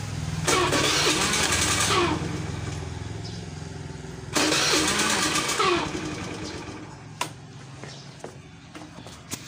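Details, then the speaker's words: Honda Beat FI scooter: the engine catches and revs briefly twice, then stumbles and dies each time throttle is given. Stalling on throttle. "masih di sana sandi hidup tapi kalau dikasih ini Pak Nah langsung mati lagi nah nih ah mati"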